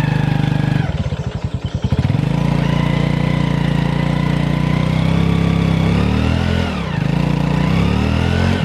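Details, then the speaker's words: Honda Revo FI with no power, unable to climb a plank ramp in first gear. Under hard throttle the engine drones high with a rising "ngu" noise but the bike doesn't pull. The mechanic first suspects the right-side (clutch) area: centrifugal clutch slip. "Pakai gigi satu nanjak segitu yo. Itu enggak kuat saya gas. Oh, malah ketika saya gas kencang di situ malah makin bunyi di mesin ngu kayak gitu."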